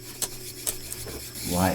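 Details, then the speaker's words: DUX 9197 (Philips N-4416) three-motor reel-to-reel tape recorder during refurbishment: dry scraping rub with sharp ticks as reels wind, something rubbing on the spool; owner suspects the spool needs setting a little higher, then noise stops. "is that noise? I don't like it. Maybe it needs the spool a little bit higher."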